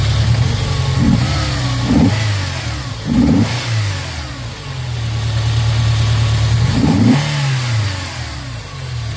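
Blips of the throttle sound ragged and hesitant, with the idle hunting and stumbling between revs; a misfire in this petrol four.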